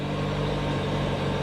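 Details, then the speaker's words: Auction car with 4,400 miles, started without a jump: fired right up into a smooth even low idle with steady pitch, no knocks or misses; healthy engine. "that means this thing didn't even have a chance to really get abused you know what I mean fired right up wow no"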